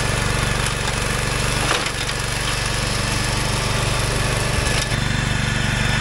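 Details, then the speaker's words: Wheel Horse 416 garden tractor, revived after sitting for years, driving in high range with the mow deck engaged; steady, even single-cylinder thrum holding speed under mowing load without misses or surging. Normal running under load. "High just listen to this baby purr out here so quiet so [Applause] happy final test here is the mow deck going to spin [Music] up"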